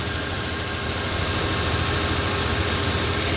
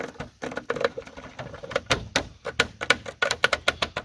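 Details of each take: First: Toyota 4Runner after a coolant leak repair: a steady, even low rumble at idle with no knocks, misses or rattles. The new part is not leaking and residual coolant is smoking off. Normal idle. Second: 2002 Toyota 4Runner after coolant leak repair, engine hot and running: quick uneven sharp slaps and clicks fading to sparse ticks; suspected plastic piece in cooling system, later believed air bubbles, noise gone after 2.5-hour drive.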